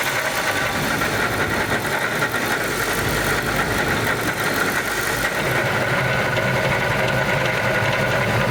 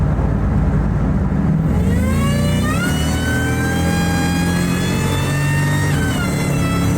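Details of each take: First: Ford Lightning V8 with an Eaton supercharger from Jokerz, after one summer of driving: idle carries a steady high whine with an uneven rattle underneath; the supercharger developed a noise and has failed. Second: Ford SVT Lightning (2001+) with a used 99–00 Eaton supercharger replacing the failed Jokerz unit, accelerating through the gears. Clean whine climbs with revs and drops at each shift, with no rattle or grind. Normal supercharger whine.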